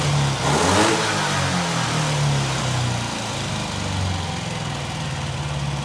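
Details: Norton 88 Dominator twin after spark plug springs checked, new spark plug fitted and plug lead reconnected: settles into a steady, fairly even idle after a brief blip, no misses standing out; both cylinders appear to be firing.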